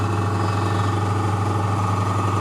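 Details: Sil-Air 15A oil piston airbrush compressor, or the old Fengda FD-186 oil-free unit measured around 60 dB: constant, even motor hum with a low steady drone and no pulsing, knocking or squeal, a compressor running normally.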